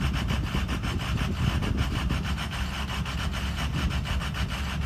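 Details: Ford Excursion 6.0 diesel at low idle with uneven, lumpy chuffing pulses that stumble rather than running evenly. The rough idle is intermittent and occasionally settles to normal.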